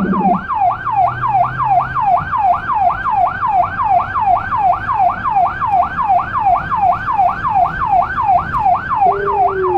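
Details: Small emergency car in Budapest with a Federal Signal Rumbler (180–360 Hz) beside the high-pitch siren, recorded from inside, where it sounds softer. A fast rising-falling wail at about 80 sweeps a minute over traffic, with a faint low tone beneath: both working.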